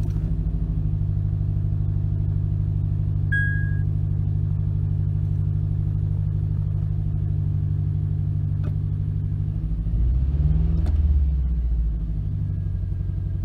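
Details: 2006 Acura TSX 6-speed manual, 113k miles, P0301 misfire cylinder 1, limp mode and flashing check engine light: uneven lumpy idle, two or three stumbles a second; new plug didn't help, bad ignition coil replaced fixed it.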